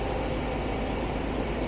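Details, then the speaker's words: Carbureted 1975 Jaguar XJ12 V12, no power, backfiring through a carb: thin, lumpy idle, a flat uneven chuff instead of a full V12 hum; one bank is cold and not running, maybe three or four cylinders firing. "I think the whole a bank is not running. And we're missing a couple cylinders."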